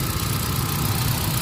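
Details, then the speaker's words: Hyundai Accent gasoline after fixing P0300/P0301/P0302 misfire (no spark at cylinder 1) by fitting a genuine ignition coil: codes cleared, check engine light off, engine idles smoothly with a steady low hum and no more vibration. "Wala na siya vibrate. So okay lang."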